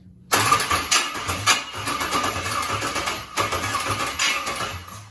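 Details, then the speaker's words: LS-swapped 41-year-old vehicle with a 36,000-mile all-aluminum LS V8, cranking on first start attempts with fuel being primed: uneven cranking bursts that never catch, sounding weird. A stuck injector is suspected. Crank, no start. "Prime it some more. A little bit more gas. You got a stuck injector. It sounded weird."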